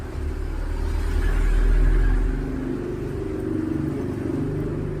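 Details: Rain-soaked Barako, left unwiped, gives repeated low cranking pulses, about three a second, with no firing catch: a crank-no-start, possibly from wet ignition parts.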